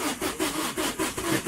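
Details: 2008 Vauxhall Combo, no fault codes, cranking in steady rhythm (~5 pulses/s) but never catching; scan tool lost comms with engine PCM while cranking and rail pressure read stuck at 0 kPa, fuel pressure being tested: crank no start.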